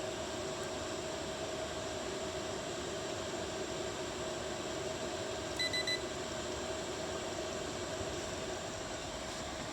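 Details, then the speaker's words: Chinese diesel heater bench-tested with the control unit in manual mode (thermostat bypassed), fuel pump turned up to full, up to temperature after about an hour of running: steady even whoosh of the combustion fan and constant hum, no surging or popping; normal running at full output. "thing's running at full blast it's up to temperature it's probably been running for I'd say somewhere around an hour or so right now"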